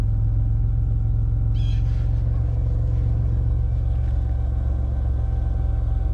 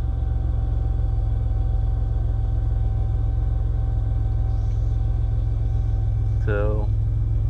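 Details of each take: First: 2001 Chevy Impala idling during fuel sending unit replacement, fuel line opened with a full tank: deep, slightly uneven idle with a faint loping stumble from air in the fuel line. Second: 2001 Chevy Impala during fuel sending unit replacement, full tank: engine still running after earlier rough idle from air in the fuel line; low, even rumble with no stumbles or misses. Normal idle.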